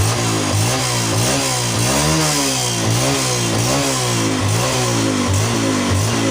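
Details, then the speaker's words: Yamaha Jupiter Z1 single-cylinder with regulator (kiprok) disconnected but charged battery still fitted: crisp note rising and falling cleanly through quick revs, no misses or knocks; runs normally because battery powers it. "untuk regulator kita tidak fungsikan tapi motor ini hidup Kenapa bisa hidup Karena akinya masih berfungsi akinya masih ada isinya ya"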